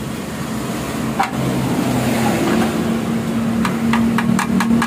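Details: Honda Vario scooter with a stock exhaust, revving while sharp metallic ticks rattle inside the muffler; the vibration noise is felt while riding and is traced to a loose inner baffle layer.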